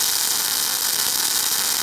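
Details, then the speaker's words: MIG semi-automatic welding of a 10 mm fillet, torch angled forward with no weaving, wire feed and current turned up: a loud, even, strongly crackling and hissing arc that is stable and normal. "Коллеги, вот видите, аппарат сильно трещит, надеюсь, меня слышно."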